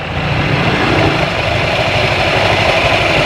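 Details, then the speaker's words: Honda Vario 125 CVT after repair of flattened clutch rubber dampers that caused tek-tek clicking when blipped; now even, steady scooter drone with no clicks or rattles on throttle blips; normal CVT operation. "Saat Anda menghentakkannya, itu sudah tidak ada lagi. Tidak ada lagi suara klik ."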